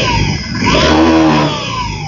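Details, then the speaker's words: 2018 Honda Vision 110 scooter with ACG starter, 4,368 km. With the clutch removed, a thin whistling squeal still follows engine speed and is louder with the clutch fitted. Worn crankshaft bearing. "Nó vẫn kêu rít, nhưng dường như khi lắp ly hợp vào thì tiếng ồn càng to hơn. Tiếng rít phát ra từ khu vực camera."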